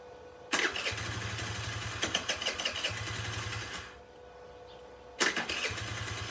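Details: Chinese Geely 50cc two-stroke scooter, sat unused, carburetor suspected: catches with a quick popping run for a few seconds, dies away, fires again briefly; starts then stalls and won't keep running.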